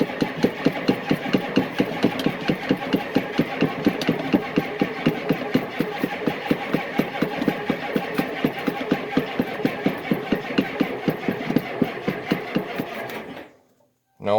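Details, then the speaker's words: Cold diesel truck below zero, glow plugs cycled, boosted with extra battery: it starts, lumbers with heavy uneven knocks about two a second, then dies; owner suspects air getting into the fuel system. "she must have air getting in somewhere then that's what it did before i changed the fuel filter it would uh it would start it would run at the fuel that's in the uh injection lines and the pump and then that was that it would die"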